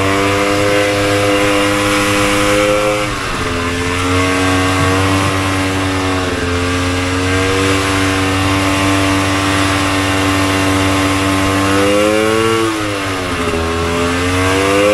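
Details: 1972 Colt 250cc single-cylinder two-stroke vintage Polaris race snowmobile, test run after engine rebuild (crank bearings, honed cylinder, rings; had burnt piston). Buzzes unevenly, pitch sagging and surging instead of holding steady; rough, hesitant running, likely fuel mixture.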